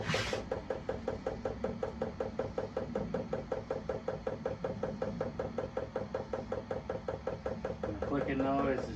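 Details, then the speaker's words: Vevor Chinese diesel heater, fuel pump priming before startup: even dry clicks a little under two per second in a quiet room as fuel is drawn through; normal priming. "We're starting to get some fuel. Let her get caught up there. That sounds about good."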